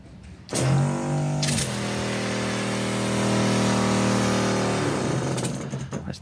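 Steady, even electric hum with a constant pitch for several seconds, no surging or rattling; the sprayer pump is running normally.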